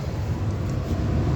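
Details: Furnace blower on a 20-plus-year-old heat/AC unit, running after the blower motor was replaced with a new motor, with everything heating up: steady low whoosh of air and even motor hum, no squeal or rattle; normal operation.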